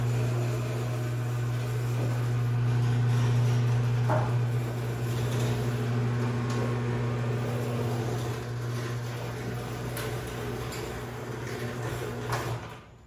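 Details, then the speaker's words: Craftsman 139.53672 garage door opener, made 1997, on a 16x7 door, run by a 950CB remote: loud steady motor hum with a rattling drone about four times a second, quiet going up but very noisy on closing; cause not confirmed. "it's not really that noisy when it goes up when it goes down oh H it's holy hell"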